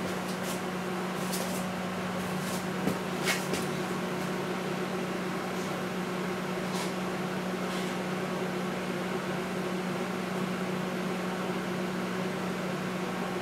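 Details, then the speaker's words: Panasonic high-power inverter microwave after fuse replacement, heating water until steaming: steady low hum with fan whoosh and constant tone, no buzzing or arcing; works normally, the only fault was a blown fuse. "so this microwave works all that was wrong with this microwave is the the fuse blue"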